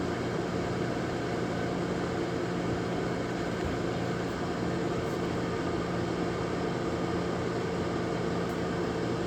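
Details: Lasko 1500 W electric heater on a 12.5 A breaker with a plug-in thermostat, drawing air in the top and blowing hot air out the bottom: constant, even whoosh with a faint low hum and no rattles or scraping. Normal fan running.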